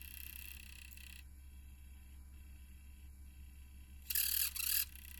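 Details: Sony PSP 3000 UMD disc drive gives two short, shrill squeaks over a quiet hum as it spins. Owner says it is not the disc, since a different game does the same, and is trying high-temperature grease. Cause is still unknown.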